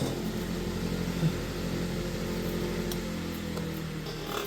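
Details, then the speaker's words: Vintage Kenmore electric fan: shakes and makes odd noises spinning up, then once at speed a steady low motor hum with smooth even whir and no rattle; normal running. "And once it gets up to speed, it quits vibrating and doing weird noises."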